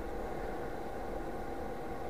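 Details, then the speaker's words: Chinese diesel heater on bench test at shutdown, after the fuel pump stops and the glow plug burns off residue: steady blower whoosh with no pump ticking as the fan purges hot air; normal shutdown cooldown. "and it'll keep going like this until all the hot air is actually blown out the heater fans coming up it's cooling it down and you have to let it do this until it's completely off"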